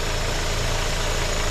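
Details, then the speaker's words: 2007 Hyundai Sonata 2.4 L four-cylinder, just over 142K miles, idling after engine air filter replacement and intake clamp tightened: even, steady smooth low hum, no hiss or ticking; normal idle. "This is the all-season Super Tech, so that's good, and it sounds real good. It is running really smooth."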